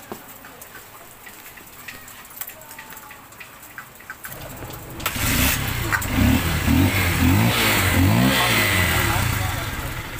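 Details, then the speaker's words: Honda XR150 single, after repair for weak pull: clutch housing re-riveted with new rivets and crankcase cover refitted; starts about four seconds in and settles to a steady even idle, the earlier loud engine rattle gone. "guys, kanina yung pag pinandar natin, malakas yung kalampag. So ngayon, nung pinaribits natin yung clutch housing, nawala na yung kalampag ng makina dahil bagong rivets siya."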